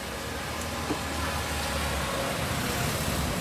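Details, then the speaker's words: Hyundai Stargazer before sound deadening install; steady low tyre roar filling the cabin on coarse asphalt and concrete, loud through front wheel arch, driver and front left passenger side; tire road roar entering cabin. "dan ini biasa suara gemurunya terasa banget lebih lebih bikin kuping terasa lebih berisik e pengang banget ya kuping dan kita akan tutup suara gemuru di ban depan nih"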